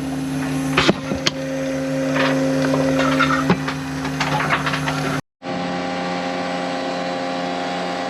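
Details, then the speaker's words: DIY boat watermaker running: pressure-washer high-pressure pump (105 bar) feeding three membranes in series, wound up to 800 psi, about 100 litres an hour; loud steady low drone from pump and generator, even pitch with handling bangs; normal running. "Now we're ready to run the watermaker. And as you can hear that horribly loud noise, we then come here."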